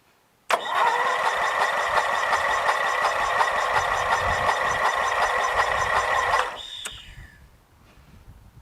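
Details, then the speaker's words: Briggs & Stratton 13.5 hp flathead lawn tractor engine with a mouse nest inside, cranking: the starter turns it evenly but sluggishly, about three turns a second, then stops without firing. Slow cranking, no start; the spark plug looks okay and there is spark, cause unconfirmed. "the cranking is slow"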